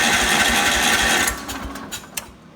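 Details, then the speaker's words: 1970 John Deere 140 garden tractor, key left on, half throttle with choke: quick, even starter cranking about a second that never catches; runs on starter fluid, so ignition is fine, but not on gas; cranks but no start from fuel starvation. "Well, son of a gun, we can get it to run on starter fluid, so we got enough ignition to make that happen, but we can't get it to run on gas."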